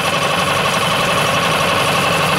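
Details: New Yamaha 4-stroke 5hp (6hp) outboard running after its first start, with the camera circling the motor. Steady, even hum with a smooth fast beat and no ticks, knocks or rattles. No extraneous sounds; normal running.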